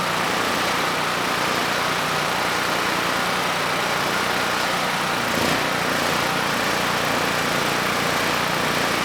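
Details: Generac GP5500 generator (low compression) back on its first carburetor with the vacuum leak and fuel leak fixed; started first pull, choke off after about 10 s, under a 1500 W load: even note holding speed, no surging or stumbling, running smooth.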